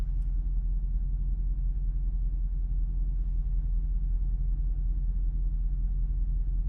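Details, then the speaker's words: Dodge V8 that sat seven or eight months, idling warm after a 15-minute drive there and back: a low, even rumble with a steady firing beat and no knock. It runs much smoother now, though the throttle body sensor and check gauges lights came on. "but listen that sounds pretty smooth running a lot smoother i think"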